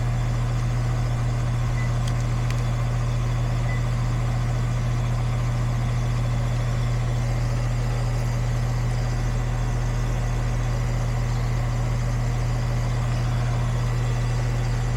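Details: Goodman AC condenser after repair of a no-cooling fault (capacitor good, connection retightened): steady, even low hum, no knocking, rattling or rising squeal; compressor and fan running smoothly.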